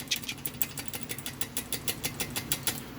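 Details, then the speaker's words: 2007 BMW 335i twin-turbo at idle with poor spool and 30FF code: quick, sharp metallic ticking several times a second from a loose wastegate flapper rattle; front turbo wastegate actuator was hanging up. "if you start here in the wastegate rattle when you're in your car and you're at idle you'll hear it go"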